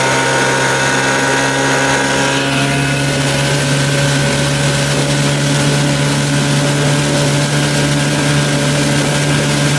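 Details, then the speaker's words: Evinrude 30 hp outboard on its first run after an under-flywheel CDI conversion, run near but not at wide open throttle. Loud, steady, smooth high-revving drone with no misses or surges: sounds good, normal high-throttle running. "oh yeah baby yeah I think she sounds pretty good good said to get little cobwebs out that's not wide open throttle almost yeah she sounds good"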